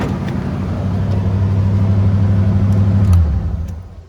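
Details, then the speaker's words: 1987 Chevrolet Monte Carlo SS V8 first start after sitting 20 years: deep even rumble at fast idle, no ticking or knocking; running healthy. "So y'all see, it run. We finally got it started after 20 years of sitting."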